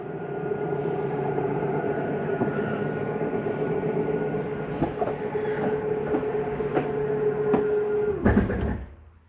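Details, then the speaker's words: 2022 Palomino Columbus C-Series 299RLC RV, slide-out retracting: steady motor drone, then a brief ratcheting clatter as it bottoms out. This is the normal end-of-travel override, not grinding. "that is nothing grinding there's nothing wrong with your slide mechanism that is the slide mechanism communicating I'm in as far as I can go you don't need to go in any further"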